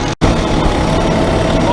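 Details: Cummins ISX15 diesel truck idling after oil, fuel filter and fuel water separator change: steady, even idle with smooth low rumble, no misses or knocks; normal, no leaks.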